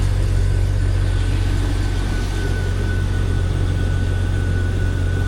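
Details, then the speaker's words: Jeep XJ just after custom cowl intake mod (modified stock airbox, 3-inch flange, duct hose to the cowl): steady, even low idle rumble with no knocks, misses or whistles; sounds no different than before the mod. "Here's the part where we find out if there's a squirrel nest in the cow. Yeah, doesn't really sound any different."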